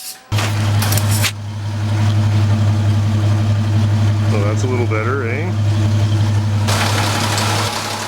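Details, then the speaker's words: 1949 Frazer with a newly fitted large muffler and new tail pipe, on the hoist: steady, even low idle with a soft, muffled exhaust note and no rasping or puffing leaks. The exhaust sounds healthy and quiet. "it's the biggest Muffler I could find it's pretty huge but seems pretty quiet put a new tail pipe on just kind of rust it off at the end so get that that sounds pretty good sounds like it's running well too"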